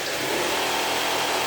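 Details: Standard 6"x48" belt sander, reassembled after fitting graphite platen cloth, a new belt and an anti-vibration link belt, on its first test run. Even, steady motor whir with a smooth belt hiss and no rattle, slap or labouring. It runs healthy.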